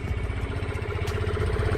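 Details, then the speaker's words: GPX Drone Keyless 2-valve scooter, registered 2021, 6,588 km, stock: a soft, even putter at idle with no ticking or knocking. The engine and drive belt sound normal with no belt whine, a normal idle. "เครื่องก็ปกตินะครับเสียงสายพานในก็ปกติแนะถ้าไม่มีเสียงหอนของสายพานนะครับ"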